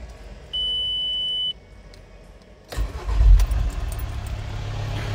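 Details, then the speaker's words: VW T5 Transporter diesel after setting injector heat clearance and replacing injector seals: warning tone, brief crank, starts instantly and idles steadily, no smoke, unlike before when it cranked long and failed to start first try. "движок запускается моментально сразу Джин и всё не как было до этого крутишь крутишь крутишь не запускается"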